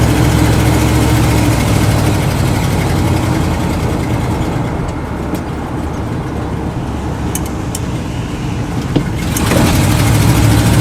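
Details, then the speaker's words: 1979 Dodge 100 truck driving cold after a choke fix: steady, smooth low rumble that dips briefly, then picks up cleanly under throttle with no misses. Choke comes fully off after about 3-4 minutes once the manifold is hot. "Actually, it's it runs pretty good. And then I think after about 3 or maybe 3 minutes or 4 minutes or so, once that manifold gets good and hot, the choke comes completely off."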